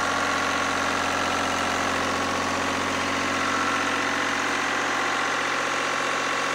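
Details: Lister #2 diesel generator just after fuel system plumbing from a former 20-gallon dry-sump oil tank, leak-check run (no drips): single chuffs at an even beat of about three per second, steady and unlabored; healthy idle.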